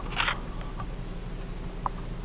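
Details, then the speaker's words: Nissan Teana J31 with VQ23 engine after replacing the intake hose (plastic inside, rubber outside): low steady idle hum with no more tuk-tuk ticking, only stray handling clicks; the noise is gone. "Ну вот и всё друзья значит установил шланг поставил всё на место корпус воздушного фильтра и все вот эти вот дела значит в машине пропал этот цокот"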